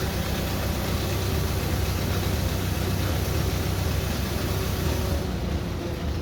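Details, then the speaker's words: International 93 combine engine running after 15–16 years unused, radiator leaking; steady low rumble with an even, unhurried beat, no knocks or rattles; good oil pressure, running healthy. "so and we have good oil pressure so we should be go to good to go with the motor"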